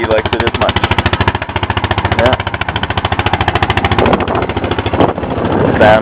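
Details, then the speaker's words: Honda Foreman 450ES quad, single cylinder, first start of the day, idling fast and slightly lumpy on choke with a steady even beat of about three and a half pulses a second. It runs clean, a normal choke idle. "let you listen to a run for a second pull the choke never had it going today"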